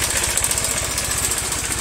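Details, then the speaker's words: Carbureted Honda Vario 110 scooter at idle: fast, regular metallic ticking of about twelve per second over a steady idle; noise disappears when revved and returns when released; worn cam chain tensioner. "Bunyinya seperti logam yang berbenturan seperti ini. Suara itu berasal dari sini."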